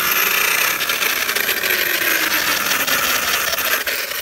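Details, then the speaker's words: Arrma Kraton EXB RC truck bashing at the beach: high motor whine with scattered sharp clicks as it revs; owner suspects a bent driveshaft dog bone, while others suggested the differential. "i think the noise is coming from this bent drive shaft though dog bone so yeah you're going to hear a little bit of clicking coming from this"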